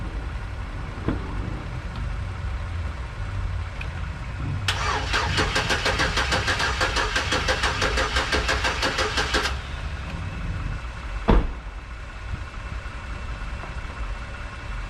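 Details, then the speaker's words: 2011 GMC Sierra 1500, 110,000 miles, with a junkyard replacement engine first started with the alternator not hooked up: about five seconds of sluggish starter chugging from the weak battery, then it catches and settles to a quiet idle. "it's gonna run, but you hear how I was cranking it really slow. So if that alternator ain't hooked up, it ain't gonna charge good."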